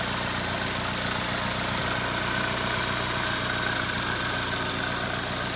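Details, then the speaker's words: 2.4 Ecotec after a low fuel pressure fix (codes P0228C, P0171): the fuel pump was refitted after smoothing with 220 grit and Scotch-Brite, and the codes were erased. It has run about half an hour with a steady, smooth idle, no misses or knocks and no check engine light. "no check engine lights everything's running fine uh i guess that solved the problem"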